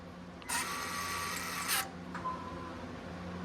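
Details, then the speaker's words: Toyota Tundra 4x4 transfer case actuator, after repair that cleaned rusty contacts and worm gear, switched to 4 high from the cab. A short, even electric motor whir of just over a second, then a faint click over quiet idle: it works normally. "Oh, okay. But it's working. I can hear it. We got success here."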